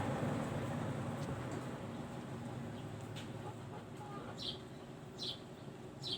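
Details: Hitachi top-load washing machine, modified with springs after noise at spin start: drum spins with a steady low hum that slowly eases off, no grinding or scraping; clean, normal spin-dry.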